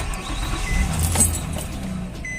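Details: 2004 Nissan Maxima 3.5 with intermittent crank-no-start despite replaced cam and crank sensors: this time it starts into a low, even idle rumble under faint background clatter, no stumble or hesitation, and drives in reverse normally.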